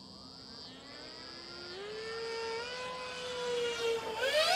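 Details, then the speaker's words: ZOHD Alpha Strike 620mm RC plane on a 4S 2200 LiPo during a fast, high-throttle pass: a high whine climbing steadily in pitch as the plane approaches, audible from far away; loud propeller noise suspected, not confirmed. "we got to be breaking the sound barrier with that prop"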